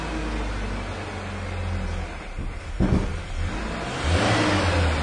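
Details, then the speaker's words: 1997 Ford Ranger, suspected bad fuel pump check valve: rough uneven idle barely holding with a couple of misfires, fuel pressure well below 40 even after starting. "There are a couple of misfires there. Barely holding an idle."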